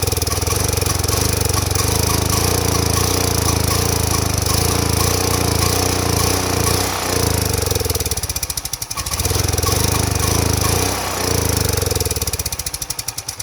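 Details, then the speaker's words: Power Mate 5000W (6250 surge) generator, sat for years, starting then dying: on carb cleaner spray with choke closed it runs roughly, sagging twice and recovering over about thirteen seconds; fuel delivery fault, suspected clogged carburetor, spark and ignition ruled out. "So you notice not the spark plugs, not the ignition. It starts, it's clearly fuel related."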